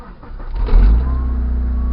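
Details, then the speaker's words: 1997 Mitsubishi Eclipse that won't start on the key alone, started via an added push button: brief crank, catches at once and settles into a steady even idle; normal engine start. "she starts right up"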